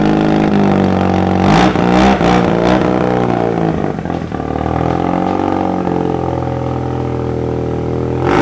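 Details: Mazda RX7 rotary engine on a dyno during a pull near 400 (figure unclear): smooth, even rotary note holding steady under load with no knocks or misses; engine sounds healthy.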